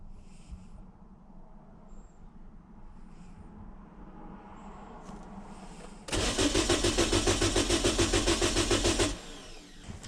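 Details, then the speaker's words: Car with no-start after tune-up, cranked on a super capacitor jump starter: quiet lead-in, then about three seconds of fast even cranking near 3.5 turns a second that never catches; fuel pump heard. "we hooked the jump starter up to it and it didn't start and so i'm like man that's weird"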